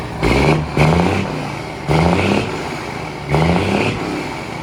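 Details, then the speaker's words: Semi truck (FLD/Argosy project) fired up: four quick throttle blips about every 1.5 seconds, deep diesel note climbing and dropping cleanly; very loud, sounds good, healthy diesel revving. "Dang, that's loud. That's way louder than I thought it was going to be. Holy crap. That sounds so good. Doesn't that sound good, boys?"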